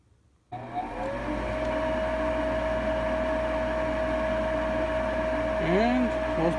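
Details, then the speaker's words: Lennox Elite G51MP 90-plus attic furnace, new combustion draft inducer motor replacing the roughly 8-year-old original that was noisy and worsening; on power-up it settles into a smooth, steady single-tone hum, much quieter than the old motor. "wait for it to light off here but it appears we've got success the motor is a lot quieter"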